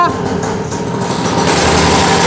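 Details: Broken-down low-end Chinese quad, just restarted after fuel was topped up: the small single-cylinder buzzes loud and uneven at idle with a wavering beat; it holds idle but seemingly won't move when put in gear, rough noisy idle, cause unclear.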